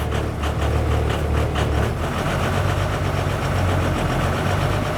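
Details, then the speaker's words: 2002 Thomas Freightliner FS65 school bus, 5.9L Cummins diesel, 155,000 miles, right after a cold start following the intake grid heaters: uneven, lumpy idle with irregular knocking beats; running really rough and starts hard. "Oh wow, it's running rough. It's running really rough."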